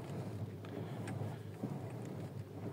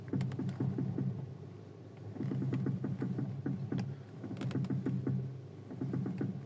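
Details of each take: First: Audi TT Mk2 after replacing the front strut top mounts (shock absorber cups): wheels turned at idle on gravel, with only faint gravel crackle over a low idle rumble; the earlier clack-clack from the front suspension is gone. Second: Audi TT Mk2 front suspension while steering: rapid clacking knocks over a low hum, typical of a failed strut top mount (coupelle), before its replacement.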